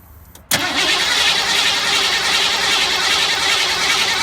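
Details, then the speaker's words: 1985 Ford F150 cranking: after a click the starter spins fast and even but it never catches; the pump makes pressure but the return line is stuck wide open, bleeding fuel-rail pressure back to the tank. "there's no fuel pressure so I you know I thought there was no fuel pressures and so I kept on checking"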